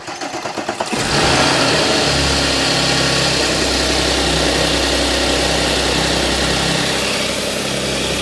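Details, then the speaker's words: Audi S, repaired cold-start noise: after replacing a broken chain guide (链板) and cleaning debris from the oil pickup strainer, the morning cold start cranks briefly and settles into a steady fast idle; the earlier rattling chain noise is gone. "现在是没有听到之前的那个声音。我们再等一会儿。"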